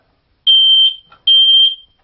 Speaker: one of them is if you want to test a smoke detector to see if it's working one way to do that is you press a button and you hold it down for a minute and